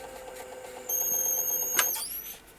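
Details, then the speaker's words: National NV-G12 VCR during playback after repair, its head drum previously frozen and scraping: an even, light mechanical whir with a faint steady whine and no scraping; it plays a good picture and works properly. "look at that just this beautiful sound to listen to that's good look at that Perfect Picture Perfect still wonderful a good machine in perfect working order"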